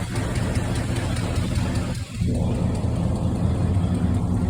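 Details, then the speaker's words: 1972 Chevelle V8 with a faint, quick, even tick over the idle that keeps pace when revved; owner suspects a loose lifter, others suggest an exhaust leak, unconfirmed. "loose lifter but if you can hear it it's a ticking noise they saying exhaust Le in the comments but I'm thinking loose lifter but I could be wrong"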